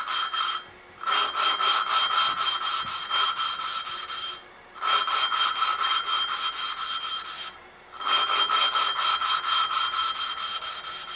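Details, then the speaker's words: Valve being lapped by hand with grinding paste on the valve seat edge, turned back and forth: rhythmic gritty rasping strokes in bursts with short pauses, grinding off burn marks and any pitting. "You can hear it grinding. And you'll see it starting to grind all the crap off the thing, all the burn marks and all the if there's any pit and"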